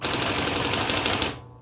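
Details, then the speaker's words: Coronet Electric 10 electric typewriter, holding down one of its three repeat keys (dash, X or period): a fast, even stream of crisp strikes, about a dozen a second, then a clean stop; normal repeat key operation. "okay so I'm electric typewriter there's three buttons that have a repeat function on them and that's the - you just hold it down the X and the period"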